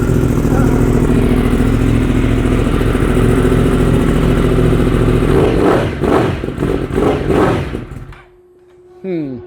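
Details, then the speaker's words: 2015 Yamaha R1M inline-four at startup: uneven, stumbling exhaust beat with irregular dropouts and surging revs, running on about 3.5 cylinders; misfire, mechanic suspects stale fuel and plugs needing replacement, not a blown engine. "Well, that's probably not great. I think we can get that fixed up though. Sounds like it's running on about 3.5 cylinders, yeah."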